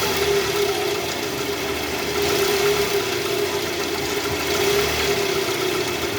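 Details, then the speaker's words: Toyota Vellfire 2AZ-FE at 141,000 km, heard with a stethoscope at the oil pan in R/D. The oil light is on and flickers when revved. A rough, gravelly, uneven clatter over idle comes from the original, never-replaced balancer shaft, found destroyed. "Nah jadi setelah tadi kita bisa menggunakan sound scop nih bunyinya jelas di area panci oli sini ada bunyi kasar guys"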